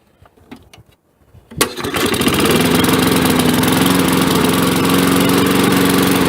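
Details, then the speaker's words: 1965 Briggs & Stratton 82906 3 hp wind-up-start engine, sat for years, first start with only fresh gas and oil, choke held, main jet possibly clogged: a few pulls, then catches and runs steady and even with no misses or knocks. "That thing sounds great. Nice and smooth too."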